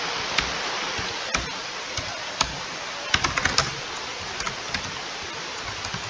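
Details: Laptop humming loudly: a steady, airy, high-pitched rushing hiss with a few light clicks on top as the fan runs loud. Cause suspected, not confirmed.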